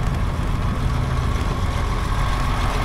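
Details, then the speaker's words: Cat D7F dozer diesel, bought non-running at auction, rechecked before shipping: deep, even low rumble idle with no knocks, misses or surging; still running healthy. Normal idle. "oh she's still running sounds good it does"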